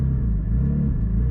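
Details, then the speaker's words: Porsche GT4, 400 hp flat-six, driving just off idle: deep, even low rumble with no knocks or misses; driver dislikes this off-idle sound but considers it the nature of the motor; normal off-idle engine rumble. "so my biggest gripe with porsches is that sound it makes like right off idle there"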